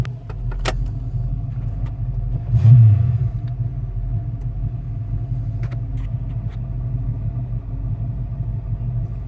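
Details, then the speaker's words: 1985 Ford Mustang GT V8, about 96,136 miles, brakes and master cylinder renewed May 2016: after a brief blip it holds a deep, steady, even idle with no knocks or ticks; healthy normal idle. "All right, well, we'll close everything up, fire it up, and let you take a look around inside and hear it run."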